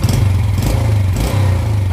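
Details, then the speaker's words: Yamaha Jupiter Z after repair of weak power and idle stalling: light quick throttle blips rev up cleanly and drop back smoothly with no bogging. Before the repair it felt held back when revved and died at idle; throttle response is now normal. "digas langsung ringan ya teman-teman kalau digas langsung ya langsung ringan Tapi sebelumnya itu kalau digas seperti ngok ya teman-teman E kayak ada yang nahan tapi ini setelah kita perbaiki digas lagi langsung ringan"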